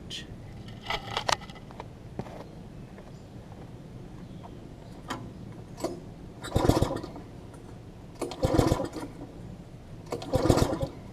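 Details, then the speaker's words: Long-stored MTD front-tine tiller, carb cleaned of water, different spark plug fitted, plug getting wet: three pull-starts each catching a few pops then dying; fires but won't run; owner next checking the flywheel key. "we'll know if it is spark related or not I mean it's still it's still hitting like it wants to fire"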